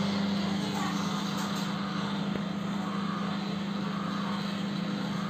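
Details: LG microwave oven: steady, loud low drone holding the same pitch throughout, from a noisy turntable motor.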